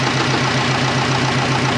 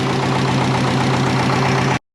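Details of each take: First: Twin-turbo Subaru Forester running again after work: a steady idle with a fast, even pulsing hum over it. That is just the cooler pump running, which is normal. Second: Twin turbo Subaru Forester just running again: rough-edged idle with a light uneven puff about four times a second over engine hum; owner thinks a V-band exhaust clamp is a little loose.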